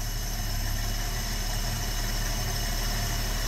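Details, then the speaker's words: Long-dormant 1972–74 AMC Gremlin inline six, just started by arcing across the starter with an auxiliary wire: smooth, steady low idle with even firing and no misses, knocks or ticks, holding idle on its own. Normal idle. "that's ridiculous it's straight up idling can't make this up"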